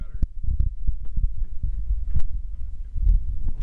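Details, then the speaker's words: SUV driven slowly home after a tire exploded: an uneven low thumping that repeats with wheel rotation as the shredded tread slaps and scrapes against the inside of the wheel well, getting worse. "oh that sounds bad so what's happening is the tread that's all shredded and messed up scraping against the wheel well"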